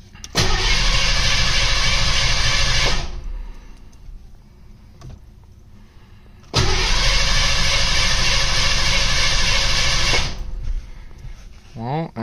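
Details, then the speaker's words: Mustang pulled from winter storage with new spark plugs, cranked with coil wire removed to prime oil pressure: two bursts of steady, even cranking about three turns a second, no firing; oil pressure came up, normal healthy crank. "but all right well it cranks really good which I'm happy about"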